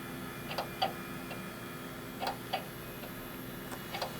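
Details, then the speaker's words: Old NEC Ready 9947C PC's IDE hard disk at first boot after years stored in a basement: sharp irregular ticks, a couple per second, over faint hum as it tries to spin up and read; a very unhappy, failing drive. "That's a very unhappy hard drive, unfortunately."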